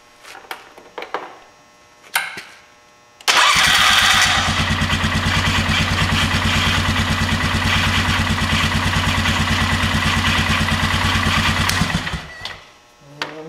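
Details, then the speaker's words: 2000 Polaris Sportsman 500 ATV, new replacement starter test-fired: steady fast cranking at about three beats a second for eight seconds, never catching; something in the starter drive sounds like it's hanging up, owner suspects rust inside, not confirmed. "sure sounds like something's hanging up but I don't know it's been so long since that starter worked I got a feeling that might be a little rusty or something in there"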